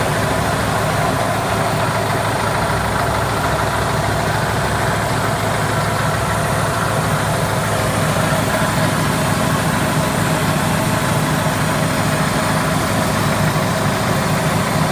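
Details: Cat 215 diesel at idle: steady engine with an even airy hiss from the valve compartment; cause not clear.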